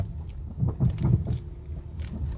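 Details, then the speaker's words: 2010 vehicle driven over potholes, recorded on a phone in the cabin. A few dull low knocks come in a short cluster over road rumble, hitting on both sides. The mechanic diagnoses worn sway bar links. "escucha un golpeteo no que golpea los dos lados esos son los suele ver links"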